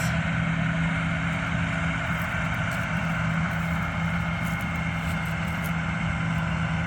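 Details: Combine harvester on a soybean-field test run after it had trouble the day before: steady, even low diesel drone with no knocks or surging. Sounds normal.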